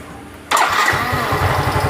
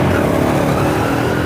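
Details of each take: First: Yamaha Mio M3 125 that once ran out of oil, burning oil, CVT cover removed: after start a quick even knock at about four per second from front of engine; suspected piston, possibly con rod; worn bore found. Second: Yamaha Mio M3 125 after an engine rebuild with a new piston; earlier knocking was from a worn bearing and a loose piston and liner after oil starvation. Throttle rises cleanly with no knocking. Running normally.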